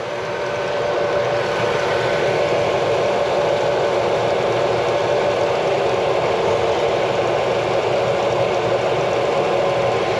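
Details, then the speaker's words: Chevy Suburban V8 idling after power steering line replacement: even, unchanging idle drone with no ticking, knocking or stumbling; runs smooth and healthy. "so you guys hear how smooth this engine runs"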